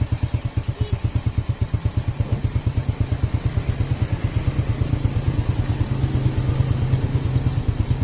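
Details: Honda Supra Fit motorcycle, which stalled when hot, had a heavy kick and a rough, crunchy sound, after the oil pump and its gears were cleaned: steady, even exhaust pulses at about three per second with no knock or rattle. Now smooth. Normal idle.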